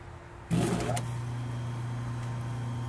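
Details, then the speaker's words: Restored 1/6 hp, 1750 rpm Century repulsion-start induction-run motor with new bushings and revarnished windings: switches on, comes up to speed within half a second, then settles into a steady, even low hum with no knocks or rubbing. "up to speed in no time and it runs beautifully nice and smooth it's a great little motor"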